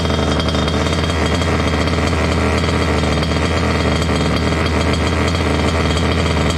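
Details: Water-cooled two-stroke Goped scooter, new coolant pump: fast steady buzzy idle that stays high; lean from an air leak at the unplugged pulse line of the old pump; plugging it made idle drop.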